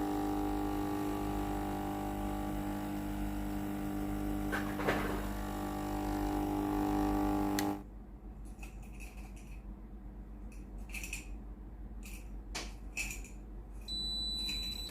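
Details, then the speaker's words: Philips GC9622 steam iron, tested after power-on once the status light stops blinking, pump feeding water into boiler. Steady electric buzz and clean hum for several seconds, then stops: normal water pump operation. "จะได้ยินเสียงปั๊มน้ำแล้วนะครับปั๊มน้ำเข้าในส่วนของตัวหม้อต้มนะครับ"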